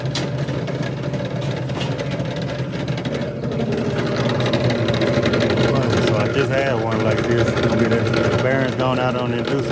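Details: Lennox furnace on a loud-noise call: a loud, steady motor drone with a rough hum from a worn, failing inducer fan motor.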